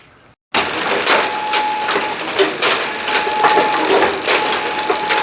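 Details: Brunswick A2 pinsetter after replacing the cross conveyor belts: rhythmic clatter bursts every half second to second with a faint steady high tone; cycling normally, though a screechy noise is blamed on a bad short turret drive belt.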